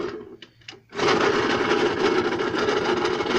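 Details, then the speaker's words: Puch moped (mini maxi) after fuel system work, start without choke: engine catches into a harsh rattly clatter about 3.5 beats per second; source unknown, owner suspects it comes from the transmission; intake leak not yet found. "despite the horrible noise I just want to get that noise sorted so we can do a first ride"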